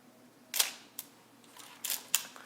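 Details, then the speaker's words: Olympus OM-2n 35mm film SLR in manual mode at 1/250 s: two crisp, sharp snaps a few seconds apart, each a quick clean click with nothing dragging. Normal shutter operation. "So you can hear the difference, it's changing."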